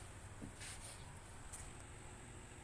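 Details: Konzert 502 amplifier after cleaning shorted components to cure hum: idles almost silently with only faint hiss and low room rumble, no steady mains hum.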